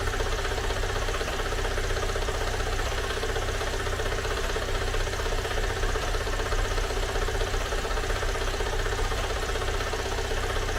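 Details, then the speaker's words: Great Wall car engine idling right after a teardown repair: a dull, fast rhythmic knock of about two to three per second, a tractor-like clatter absent before the repair. Mechanic says oil was added; the engine is reopened and the cause is not yet found. "着着都正常，都稳着呢，克拉克拉的。你这咋修成拖拉机了呢？"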